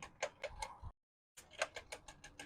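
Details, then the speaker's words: Full-suspension mountain bike being pedalled: constant crisp, regular ticking from badly out-of-adjustment derailleurs letting the chain rub. "it's nice being able to actually ride it but the derailers are so off that there's constant noise and Ticking sounds and stuff"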